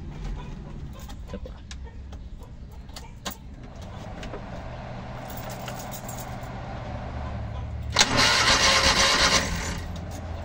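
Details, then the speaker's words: Rusco multicab, carbureted petrol, hard starting in the morning despite two carburetor top overhauls; spark confirmed present: long even cranking at about three beats a second that barely catches, then a brief surge. "Ayan. May kuryente siya. So ayan meron siyang kuryente pero hard starting pa rin."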